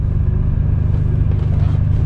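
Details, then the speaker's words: 1997 BMW M3 driving after crank-position-sensor no-start problem, crankshaft position sensor replaced, no longer in limp mode: deep steady rumble, even beat, no misfire or stumble; running normally. "Ooh, it sounds, man, it's the way it's supposed to be. Accelerates like a like a BMW."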